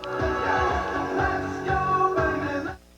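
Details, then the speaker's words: Nakamichi CR-1A cassette deck playing music on a tired unit before repair: dull, soft treble with no crisp top end, not clear; muffled playback while fast forward and rewind work. "other than that it just sounds like it's muffled and it's not it's not sounding its best it doesn't sound very clear and crisp"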